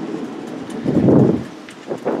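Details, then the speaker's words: 1999 Scotts lawn tractor mower deck, spindle spun by hand off the tractor: rough, gravelly roar swells then fades; worn spindle bearings very loud though the deck still cuts fine, before bearing replacement. "This deck is okay and it cuts fine, but these spindles are like super noisy. Super noisy. I don't know if you could hear this, but even just spinning this, those bearings are really loud."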